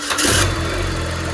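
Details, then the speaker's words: Used car cold start in the morning after sitting since the previous evening, oil not yet changed: quick crank catches immediately and settles into a smooth, even idle without throttle; normal healthy engine. "ya, tanpa injek gas, tanpa apa, mesinnya oke ya."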